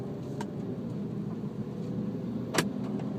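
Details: Infiniti G37X sedan with BC Racing coilovers, driving: two sharp, isolated clunks over steady road rumble, heard since the day of install; a suspected loose suspension knock, cause not confirmed.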